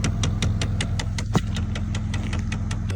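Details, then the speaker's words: 2015 Dodge Challenger, ticking from the passenger-side dash: sharp, even ticks about five or six a second over low engine hum, felt by hand at the part; a failing HVAC blend door actuator. "You hear the ticking? Put my hand on it. I can feel it ticking right here."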